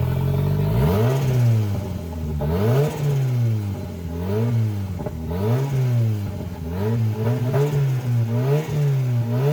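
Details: CA18DET-swapped JDM Mazda Miata, first start-up, filmed near the turbo: revs surge and sag every second or two as throttle is worked, never settling to steady idle; vacuum leak causing poor idle.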